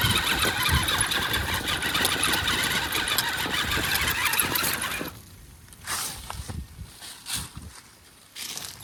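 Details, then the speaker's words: RC Wraith rock crawler, suspected front-axle noise after a hard run: fast rough chirping grind over motor whine while driving, with short bursts, like skipping teeth; owner first suspected front ring and pinion, now possibly a chewed-up bearing, unconfirmed. "I can definitely hear some chirping, grinding kind of a sound. Maybe a little skipping of a teeth or something. It definitely sounds like it's coming from up front, which is not surprising."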